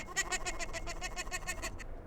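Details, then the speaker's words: Honda Integra DC2 B18C1, removed water pump turned by hand during timing belt job: about a dozen sharp high squeaks, roughly seven a second; unusual pump squeak, cause unknown. "never heard a water pump sound like this after pulling it a little squeak to it"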